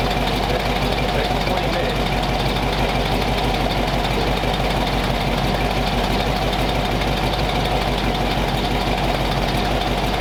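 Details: Warm flathead V8 after about 20 minutes of idle, temperature back down to 180 degrees with thermostat open, 30 psi oil pressure, no exhaust smoke; steady, even smooth low rumble with no knocks, misses or ticks, healthy.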